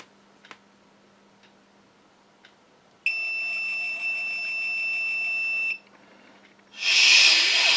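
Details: Multimeter continuity test on a quadcopter flight control board after resoldering: one continuous high beep lasting nearly three seconds, showing a short to ground on the board.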